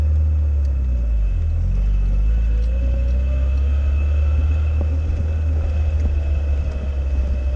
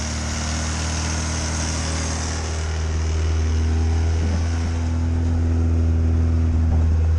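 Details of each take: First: Classic Fiat Spider on its first drive in two years after replacing the mechanical fuel pump with a relay-fed electric pump: steady low rumble, smooth even pull at slow speed, no knocks or misses; normal running. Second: Classic Fiat Spider, just converted from a mechanical to an electric fuel pump: low, lumpy idle pulsing about four beats a second, warming up slowly on full choke. The carburetor is badly gummed up and the choke had to be pulled fully out to start.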